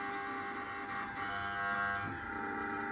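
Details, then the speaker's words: Refrigeration system with a defrost valve and new controller: the energized valve gives a steady buzzy hum while equalizing pressures so the compressor can restart after switch-off. This is normal valve noise. "i may need to do a bit more until the pressures are totally equal and that's just the valve humming that's all that noises"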